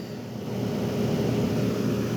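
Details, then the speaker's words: 1973 GM Frigidaire 11,600 BTU window air conditioner running. Steady, even low hum, no knocks, rattles or surging. Discharge line hot and suction line cold, so it has a full charge and is working well. Normal running. "nice and hot nice and cold so this thing's got a full charge it's working"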